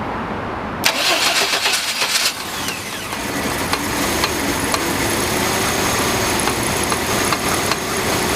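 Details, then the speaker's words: GMC Jimmy 4.3 L V6, just after cold start days after drive belt replacement: fast idle with a light, intermittent ticking in bursts from the engine bay; owner suspects hydraulic lifters, unconfirmed. "И после замены приводного ремня, буквально, может быть, через несколько дней, я услышал очень неприятную вещь, когда стал заводить двигатель, сразу после запуска."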